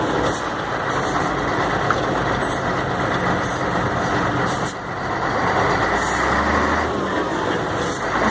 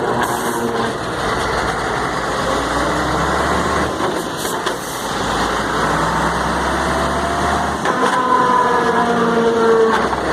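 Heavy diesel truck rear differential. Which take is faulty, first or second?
second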